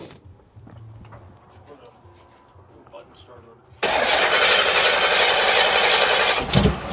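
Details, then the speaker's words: 1963 Chevrolet Impala V8 that was hard to start, power steering not hooked up: fires into a loud idle with a fast, steady ticking chatter on top; source of the clicking not pinned down. "what's clicking like that yeah you checking I'm just hearing what that that noise is it's got a lot of [Music] [Music] chatter"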